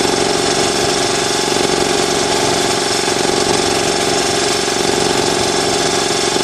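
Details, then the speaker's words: New Ingersoll Rand TS4N5 80-gallon compressor, 5 hp 230 V motor, 15.8 CFM at 90 PSI, 175 max PSI, cuts in near 140 and off at 170 PSI: steady, dense rattling pump chatter with no stumbles or surges while pumping up; normal running. "Yeah, there she goes. It's not too loud. I can walk out the side of my garage and barely hear it."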